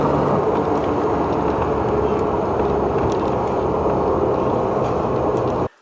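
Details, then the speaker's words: BMW E36 M3 after a few small burnout launches: loud, heavy rumble under acceleration from the centre driveline, constant on throttle; owner first suspected the centre support bearing, cause unconfirmed. "so after my a couple of little burnout launches the car is making some real bad noises this Center Drive line thing is really sounding bad like a real bad Rumble or like grinding"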